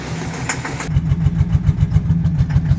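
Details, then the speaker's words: 2013 Chevy Silverado 4.3 with throttle body codes, check engine and service traction control lights on. Engine restarts and settles into uneven lumpy idle with low thumps about three per second, making a weird noise; rough idle, misfire suspected. "sounds like it's misfiring. Making the weird noise."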